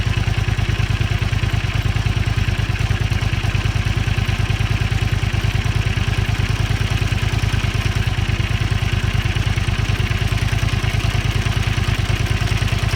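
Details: Honda Xelvis 250 at cold idle: steady, busy metallic top-end clatter on the beat; owner suspects cam chain rubbing from a slack tensioner; noise disappears once the engine warms.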